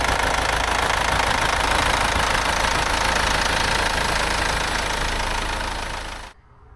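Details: Mercedes C-Class S204 OM651 diesel idling after timing chain replacement, 660 km driven since. Steady, even clatter with no misses or knocks and a slight shake the owner considers normal for a diesel. Healthy idle.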